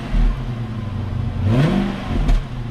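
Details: 4.5-litre V8 revved on a salvage walkaround: smooth idle, then a quick clean blip with pitch rising and falling evenly and no knocks or rattles; engine sounds healthy.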